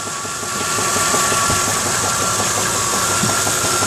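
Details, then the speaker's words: Truck with an engine sold as rebuilt at 10,000 km, knocking since two months later, idling warm with a faint quick tick-knock; the temperature gauge doesn't work and oil pressure drops off-throttle; owner suspects a front pulley or possibly the bottom end. "And I haven't been able to figure out where this knock's coming from. I don't know if you can hear it now. You can hear it ticking away."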